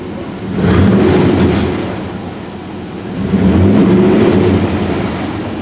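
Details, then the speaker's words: Chevrolet K1500 carbureted engine after an oil change with added STP, revved twice from idle; loose buzzy rattle on the rev peaks from the hood bug deflector vibrating. "you can definitely hear that that folk guard up there rattling but it sounds mean though"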